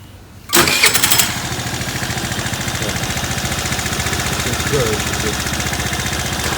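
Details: Apache motorcycle, 764 km, after being checked and adjusted: kicks over and catches at once, settles into a steady even single-cylinder idle with no knocks or rattles; runs normally.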